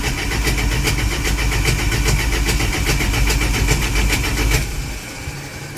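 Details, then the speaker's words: 1983 Dodge D150 that wouldn't start: steady cranking with a little choke and gas, one weak catch that dies; cranks but won't run, owner suspects a spark issue again. "a little less choke. And I got a little bit of a hit there, and that was it. Which leads me to think it's a spark issue again."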